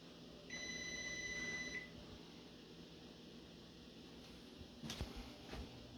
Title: Oven Beeping Sound Part 2